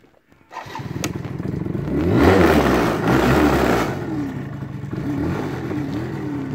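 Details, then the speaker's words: 1988 BW'S two-stroke scooter, Japanese-market model; starts after a brief crank, revs up, then settles into a quiet, steady, even putter at idle of about four beats per second; normal start and idle. "Et voilà, l'engin qui démarre, pas bruyant du tout."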